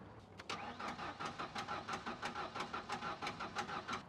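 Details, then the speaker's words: Ford Ranger abandoned about 14–15 years: steady starter cranking about ninety compression pulses a minute, never catching even with starting fluid; no spark at coil packs, suspected missing signal to computer. "So when now we check the spark plate, we don't have a spark."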